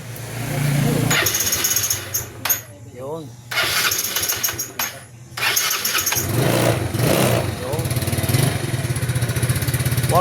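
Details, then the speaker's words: Yamaha Mio Sporty scooter after carburetor gaskets checked, and rusty spark plug cap found behind hard starting and unstable idle: brief crank, starts on two presses, single settles into steady, even idle; dirty starter noted. "Wala naputok-putok siya o hindi agad naandar. Dalawang pindot lang andar na."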